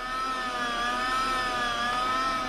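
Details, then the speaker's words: 2001 VW Jetta VR6 secondary air injection pump during a scan-tool active test: smooth, even electric whir at steady mid pitch, no hiss or rattle, no air leaks. Normal pump operation. "nice and quiet sounds good it's not leaking air anywhere"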